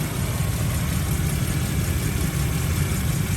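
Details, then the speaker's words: 2001 Toyota Kijang Krista 2.0 EFI petrol manual, original, 109,000 km, engine bay open: low, even, smooth idle hum with steady rumble, no knocks or ticks; sounds healthy. "tidak helm sama sekali suaranya halus banget"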